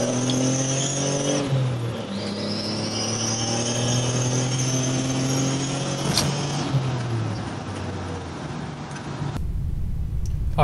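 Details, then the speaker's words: 1998 Contour SVT with a custom turbo and recirculated blow-off, under acceleration. A faint turbo whistle is heard but boost reads 0 psi around 3,000 rpm, kicking in near 3,500–4,000 rpm. Owner suspects a boost leak or turbo lag. "as you can see in that first video there there's some kind of delay around 3,000 RPM um you can hear the turbo kind of going but it reads zero PSI on the boost gauge"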